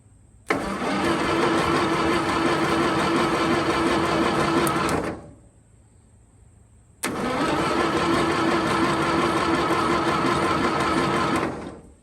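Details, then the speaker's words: 1922 International truck, sat 30+ years, throttle blades open: two long, slow, laboured cranking bursts that never catch; the starter is dragging. No spark suspected, valves sticking, and a rat nest was blown from the exhaust. "okay I don't think we're getting spark so what it seems like and boy that starter's trying to give up on us I think it [Music] hit that starter sure is dragging"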